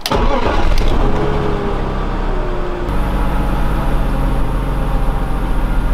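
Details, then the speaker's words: 2003 BMW 5 Series E39, sat three years, after misfire repair and valve cover reseal: cranks briefly, catches cleanly, settles into smooth even idle with no stumble or hiss; misfire gone. Normal start and idle. "and the misfire is gone here's the before and this is how the car sounds now bearing like a kitten"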